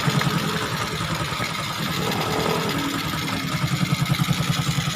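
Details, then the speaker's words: Honda XRM 125 after CNC bore and piston rework, air cleaner off: steady single-cylinder idle about 200 pulses a minute with open hollow intake roar from the carburetor; normal, quiet once the air cleaner is fitted. "sa carburetor na lang yung maingay. Pag may air cleaner na yan, all goods na yan. Tahimik na yan."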